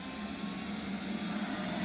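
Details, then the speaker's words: Neato robot vacuum four days after replacing its electrolytic capacitors (mainly C10 100uF 25V), which fixed a dim green light and refusal to start: steady mid-pitched motor hum with soft brushy whir, starting straight away and cleaning normally. "The green light is still on, fully strong. Doesn't seem to have frozen. Comes on straight away. And off she goes."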